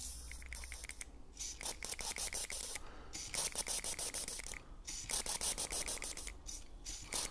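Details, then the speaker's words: Fuel injector pulsed by hand with a switch tool while pressurized with brake cleaner during DIY cleaning: uneven bursts of sharp clicks with hissing spray; injector opens and shuts normally. "so you should see fluid come pissing out the end right so give a little bit of pressure up and it pops off too much pressure"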